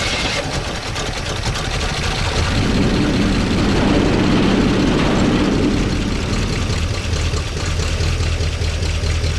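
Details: 1969 Chevy C10 engine that was hard to start, after slightly adjusting ignition timing: cranks, catches around two seconds in, then steady idle without knocking, quieter than before, 50 psi oil pressure, minor oil drip; runs normally.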